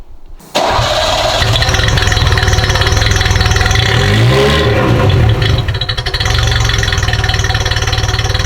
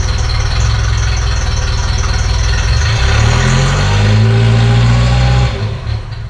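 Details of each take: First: Ferrari 308 warm restart after a slight counterclockwise adjustment: catches quickly, settles into steady, fairly even idle with a brief blip; sounds a lot better, possibly just from being warm. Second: Ferrari 308 after restoration, before mixture adjustment: lumpy, throbbing idle shifting pitch midway then dying; engine runs too rich (too much fuel) and also leaks oil; mixture screw turned counterclockwise for less fuel afterward.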